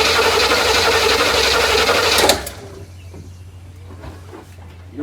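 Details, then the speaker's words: 1972 Buick Riviera boat tail big-block, parked five to seven years, cranking with the coil disconnected: the starter turns it at a steady four beats a second with no lumps, even compression; even cranking. "you notice when it's cranking it's steady which mean"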